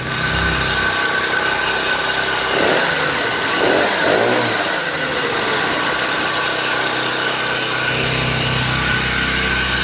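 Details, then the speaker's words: Motorized bicycle: raspy two-stroke buzz rising and falling under a constant scraping edge; drive chain still rubbing despite readjusting the motor. "The chain was rubbing like a son of a bitch, so I had to readjust the motor. The chain's still rubbing like a son of a bitch and doesn't seem to matter what I do."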